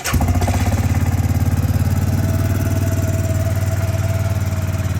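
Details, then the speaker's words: 2004 Suzuki Eiger 400 4x4 ATV, one year after a top-end rebuild, cold engine on choke: catches at once into a quick, even single-cylinder thump with no knocks or misses. A healthy cold start. "right now I'm about 3/4 choke I guess not quite full we'll let it warm up a little bit"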